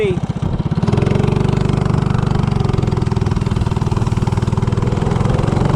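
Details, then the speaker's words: Coleman CC100X mini bike with 197cc LCT snowblower engine, Nibbi 24mm carburetor (120 main, 38 pilot jet), header pipe, 18 lb valve springs; quick, even firing at steady fast idle, earlier lean hesitation gone after pilot jet change; normal running. "Oh yeah, I definitely like that one better. Doesn't have that hesitation now."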